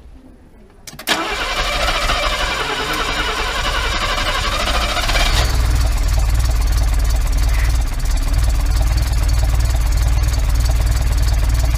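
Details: Mercedes W114 engine after freshen-up, first start once a fuel pump wire was found: cranks, catches with a jump, then a lumpy, uneven low chug that barely keeps running; rough running after start.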